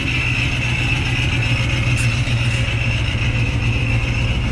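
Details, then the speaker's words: 1977 Chevrolet Camaro Z28, originally four-speed, with a ProCharger just serviced by the owner, idling on a cold 36°F day. A constant high-pitched ProCharger gear whine rides over a deep lumpy V8 idle and quiets a little as revs rise; normal supercharger whine. "ch closes it up you can hear the pro charger whining but when you bring up the rpms a little quiets down just those big gears the pro charger"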